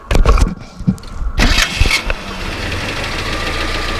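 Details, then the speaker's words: 1979 Datsun 620 King Cab pickup, original carburetor replaced with a Weber and modified air cleaner: engine cranks briefly, catches and settles into a steady, even low idle with no knocks or misses; runs really smooth, healthy start. "You know, it runs really smooth, sounds good."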